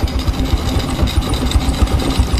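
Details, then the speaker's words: Rebuilt Honda Supra X125 carbureted engine idling without throttle: fast even clatter of light knocks about four a second, loud from the engine covers, a noise this model is known for; cause not pinned down. "Cuman yang berisik ini nih temen nih. Bok-boknya. Kalau untuk Supra X125 ini terkenal sekali di bagian boknya sangat berisik, geber."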